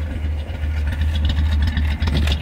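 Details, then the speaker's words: Nissan Platina with check-engine light on, stalling and hard morning starts, heard at the exhaust smelling of raw fuel: low idle pulse with uneven beats and dropouts; intermittent misfire. "En el escape se escucha e y pica. mucho a humo, humo de gasolina. Les muestro, miren, se escucha una falla muy intermitente"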